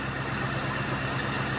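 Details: 2000 Cadillac DeVille limousine, Northstar V8, idling: quiet, even low idle with a steady beat and no knocks, ticks or misses; idles smoothly, though a head gasket fault is feared and unconfirmed.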